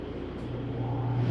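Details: Prowler 303BH travel trailer, roof AC switched on from the wall thermostat: steady low hum with even airflow, no rattles or squeals; AC starting and running normally.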